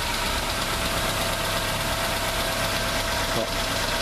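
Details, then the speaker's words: Fiat Stilo 2007, GM 1.8 8-valve engine, just after replacing lifters and rocker arms: steady idle with faint light valve-train ticking as new lifters pump up, expected to quiet with oil pressure and warm-up; running fine. "olha só tranquilo leve barulhinho de acionamento de válvulas perfeitinho"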